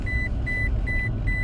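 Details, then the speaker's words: Toyota Tacoma in Drive at about 12 mph, moving without gas, with the parking brake applied: four evenly spaced high beeps warn that the brake is engaged, with a flashing triangle warning on the dash. "it flashes a triangle with an explanation point in it and that's what's yelling at me telling me that the brake is being engaged right because we're in Drive right now and the brake is on"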